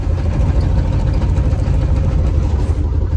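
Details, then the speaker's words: Box Chevy on the highway, shaking hard and smoking: heavy low rumble that surges and wavers unevenly; running rough, and the owner suspects a belt, not confirmed. "i think it's a belt bro it sound like [ __ ] it's smoking too"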